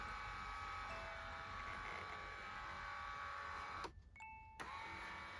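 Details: Lourdes massage cushion L (AX-HL168) under load after greasing the rail: thin buzzing whine with wavering tones; grease didn't help, worn up-down rollers leave a gap, lift under body weight and vibrate in the gear/motor area.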